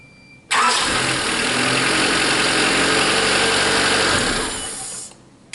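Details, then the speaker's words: 1988–91 Honda Civic after a new distributor cap, rotor, spark plugs and plug wires: brief crank, then it catches instantly and settles into a steady, even run with no misfire; a healthy start. "that fired right up instantly I am very impressed excellent makes a big difference"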